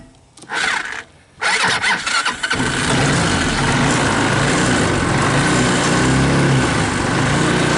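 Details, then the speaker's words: 2014 Linhai Big Horn 400 UTV, about 1100 miles, sat for years, missing key switch, run on portable ignition system with starting fluid: short cranking bursts, catches after about two seconds, settles into a steady busy run. "I'll give it a couple hootsu starting fluid turn it over right here we'll see if we can't get this thing running it has starting fluid it has ignition and let's see what it wants to do"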